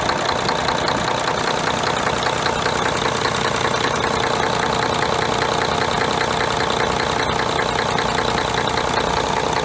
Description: Quick video of a Om501LA with a knock at idle and blow-by.